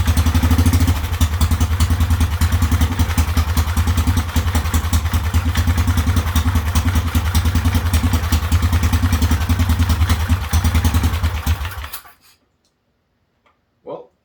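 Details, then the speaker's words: Whizzer single-cylinder engine, recently fitted with a new overdrive gear and run again after a spark plug problem: even, strong thumping at a steady beat, then a clean shutoff; runs well, better than before. "nice to hear it run again runs well too better than it did before when I uh last drove it"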